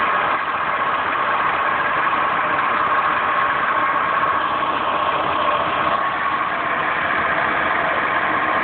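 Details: Steady idle with a constant mid-pitched whir over the engine and no clear knock; owner suspects a bad water pump, unconfirmed.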